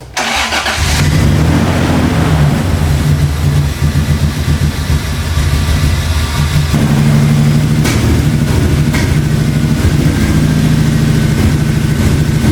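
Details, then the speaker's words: 1990 Toyota Pickup with swapped 3.4L 5VZ-FE, ECU suspected bad, old fuel: starts and settles to a too-high idle with an uneven, stumbling miss and dips; cause unconfirmed. "oh guys it's starting to run a little bit better but still definitely has some sort of a miss you can hear and it's idling a lot higher than it should be too"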